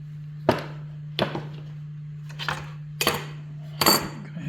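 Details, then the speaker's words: 1979 VW Super Beetle, new alternator and fan mounted in the fan shroud, torqued to 32 ft-lb: irregular light metallic ticks as the slightly wobbling fan is turned by hand; blade hits its mounting plate, shims need adjusting. "adjust the shims in and out to make sure that with it torqued at 32 foot-pounds the fan doesn't hit this little this little mounting plate"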